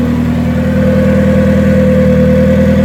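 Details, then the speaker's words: Turbo Hyundai Tiburon after reassembly with the battery moved back up front, warmed up and pulling away in first gear at about 5 mph. A smooth, even hum with no knocks or rattles, though fuel pressure still needs resetting to about 43 psi base. Normal running engine. "Yeah, buddy. Everything sounds good."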